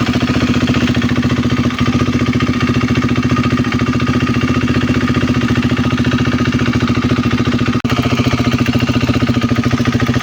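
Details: KTM Duke 390 V2 at idle: a light, even tick about three a second over the single-cylinder idle, coming not from the engine head but from the ECU-driven purge valve solenoid on the EVAP canister-to-throttle-body hose; normal.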